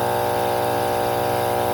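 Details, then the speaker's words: Alita 60 diaphragm air pump test-run during a rebuild: steady, even mains-rate buzz with no rattle or flutter; both good, pump running strongly and sounds healthy. "Holy heck, does that got air. Yeah, they're both good."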